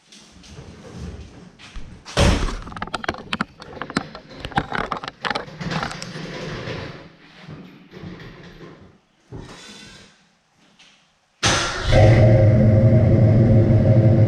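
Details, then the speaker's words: 1967 Mustang Fastback V8 after fitting new Flowmaster center-outlet mufflers, meant to be more rumbly and throaty: after clattering and thumps it fires and holds a steady, deep, throaty rumble with an even firing beat and no rasp. "So these are supposed to have a little bit more rumble to them, a little more throaty."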